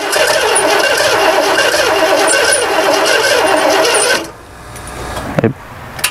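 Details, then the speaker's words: 1968 Chevrolet panel truck ambulance, fuel line off, key-on pumps silent: steady starter churning about three to four turns a second for four seconds, never fires; only residual gas squirts; crank, no start, no fuel supply. "Because there's key on, nothing. Let's try cranking. That's residual gas."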